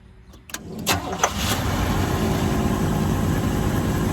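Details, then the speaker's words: 1984 GMC Sierra Classic after new alternator belt tightened: brief crank, fires right up and settles into a steady idle with no belt squeal; healthy. "There we go. Fires right up."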